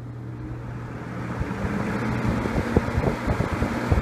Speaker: not very loud actually but it blows a ton of air